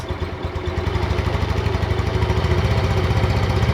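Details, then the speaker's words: Yamaha Mio Sporty scooter after replacing the worn front pulley (roller housing), bushing and rollers that caused a CVT rattle at low throttle; the idle pulse is even, with no rattle from the belt drive. Normal CVT idle. "ya suaranya Udah nggak ada ya hilang ya Coba kita cari itu tadi kendalanya ada pada rumah roller sama roller bos yang udah pada apa aus ya"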